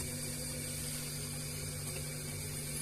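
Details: Panasonic fridge after compressor service (the compressor had seized and lost pressure) and evaporator repair, with frost forming on the evaporator: low steady hum with a faint watery hiss, no knocking or rattling; compressor running quietly and normally.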